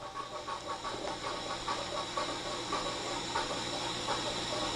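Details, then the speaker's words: 280-S system during source inspection: steady machine hum, then one sharp snap as the rotor stop positioner fires at cycle end, uprighting the rotor to home position 12 o'clock before door release; normal. "There we go. Rotor stop positioner just fired. Probably uprighted the rotor. Excellent."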